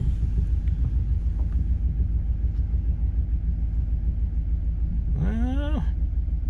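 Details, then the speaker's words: GM LS V8 truck, about 270,000 km, after installing exhaust manifold leak repair brackets: steady low idle with slightly uneven beat and occasional stumble; misfire because number seven plug wire was left off. "well it sounds great but it's actually missing a little bit I'm going to go check those plug wires I had pulled off"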